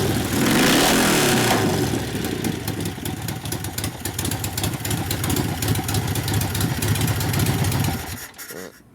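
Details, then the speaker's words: 1972 Harley Sportster XL Ironhead kickstart bobber after reversed plug wires were corrected and timing set; before, it spat flame from the exhaust and carb and wouldn't start. Now it catches, gives a lumpy V-twin idle with throttle blips, runs steadily and shuts off. Healthy. "Plus it didn't start, so once put it correctly, obviously it lights right off like it's supposed to. Perfect."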